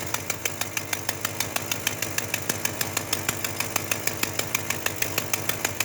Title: Exhaust Leak